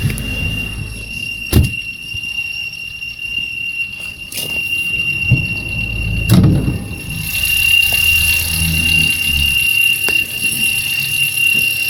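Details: Opel Corsa C: constant high-pitched squeal rides steadily over the running engine without changing pitch. Accessory belt squealing.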